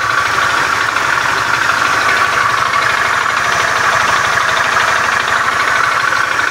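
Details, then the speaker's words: Beat FI scooter with a rough starter, idling in the workshop: a harsh, uneven clatter of loose knocks without a steady beat over a fast idle. The mechanic attributes it to a worn, damaged connecting rod. "suara kasar yang seperti ini itu disebabkan dari stang sehernya yang sudah mengalami keausan dan sudah mengalami kerusakan jadi suaranya kasar klotok-klotok seperti itu ya teman-teman"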